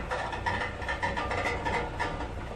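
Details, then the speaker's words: Toyota AE86 project engine at idle after fixing leaks, fan and shroud off, heard close up near the exhaust: light tinny metallic buzzing in quick irregular bursts; exhaust heat shield missing one bolt rattles and rubs against a small arm. "You can hear that rattling. That's the exhaust. It's the exhaust shield. I still haven't. There's one bolt that I didn't do on the exhaust shield, and I think it's just rattling."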